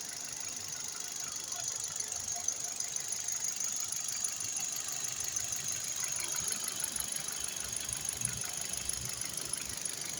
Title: xcent engine noise